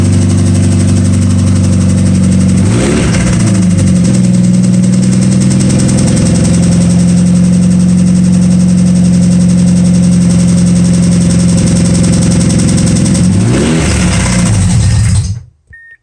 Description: 2007 Mazda 6 2.3 with rod knock. Straight pipe no cats or mufflers.